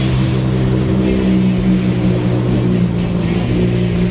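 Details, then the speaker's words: Nissan Skyline GTR R33 forged RB engine built for 800 hp, first start after rebuild from damaged bearings, running-in on 100-octane map with limited revs: deep, choppy, loping idle typical of aggressive cams, steady, no knocks or misfires. "The car is already purged and ready, and the electronic is the same as before, so it's simpler. The idle is very angry."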